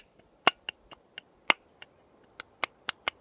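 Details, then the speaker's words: Atwood 8535-II Hydro Flame RV furnace blower motor, removed: sharp, uneven clicks about one a second as loose shaft with play is rocked by hand; bearing on one end worn out. "see the play in that shaft thing is trashed bearings are just toast this side's okay but this side is gone so this side's not bad but you can hear the horrible noise see that thing bouncing around"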